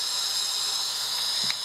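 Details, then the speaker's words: Sherwood scuba second-stage regulator on the bench with an intermediate pressure gauge, when the gas is turned on: a steady, high, airy hiss with no breathing rhythm; it is free-flowing, so the seat needs adjusting. "When we turn our gas on, see, when you start putting air to it, it leaks."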